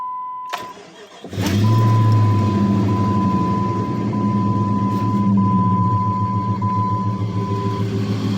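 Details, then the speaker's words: Jeep 4.7 V8 dead cold start at about 12 degrees on AMSOIL with a new battery: catches quickly into a smooth fast idle with no lifter or lash adjuster clatter, only the failing power steering pump's faint whine. "Alright, so it's currently got AMSOIL in it, and the lifters, or the lash adjusters, nothing is clattering on a dead cold start. The only thing you can hear is the power steering pump, which the power steering doesn't really work anymore."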